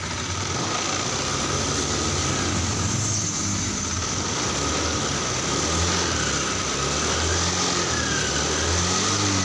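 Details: Honda Scoopy FI scooter with a sputter and power-loss complaint at high revs; weak fuel pump, rusty tank, CB sensor shifted, TP sensor not replaced, no DTCs: runs steady and picks up cleanly, revs not dropping at high throttle.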